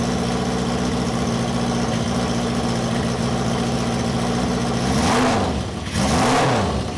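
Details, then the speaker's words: Cafe scrambler motorcycle, running for the first time in 21 years after carb rebuild: loud, raw blatty idle with deep rough beat and two quick throttle blips; silencer/muffler insert removed, open pipe. "so silencer type muffler type thing is removed"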